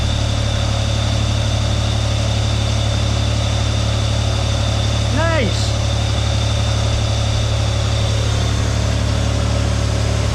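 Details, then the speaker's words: Vauxhall Omega estate 2.5 V6 just after a new timing belt and water pump, coolant topped up: smooth, even idle with a steady low hum and soft pulses, no knocks or rattles, running nicely. "nice minute well that's running nicely"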